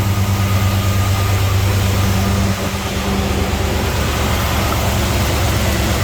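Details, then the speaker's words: LS-swapped Squarebody Chevy C10 after restart, plugs fouled from excess fuel, gauge reading 50 psi: deep, fairly even V8 idle with a steady low rumble, idling better though a slight sputter remains. "I don't know if these are adjustable or not but it's idling better for sure"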